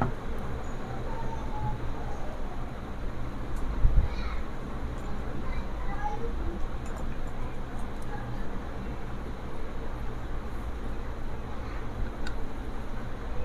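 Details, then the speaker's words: Bhima Gold cooler water pump, new out of the box, powered on AC mains with no water: a steady low buzzing hum with slight rattly vibration. With water in it this sound does not occur. The pump is running dry. "Friends గమనిస్తారు మీరు అనేది sound ఏ విధంగా వస్తుందో. నీరు ఉంటే sound రాదన్నమాట."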